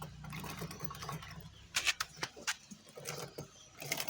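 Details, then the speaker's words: Motorcycle drive chain at correct tension but dry, with excessive play, wheel turned by hand; irregular dry crackling clicks; the chain is worn and due for replacement, while the sprocket is still fairly intact. "escucha el estralo ese el crujido y se ve que no está mu tiada y también cuando tiene todo este juego la cadena quiere decir que ya está para el cambio"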